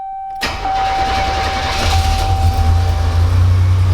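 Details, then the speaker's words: 1987 Buick Grand National after swapping failed Power Master for vacuum brake booster, not run for about a week: chime, engine catches almost instantly and settles to steady even idle; clean, healthy start. "fires up pretty easy it hasn't been running in about a week now"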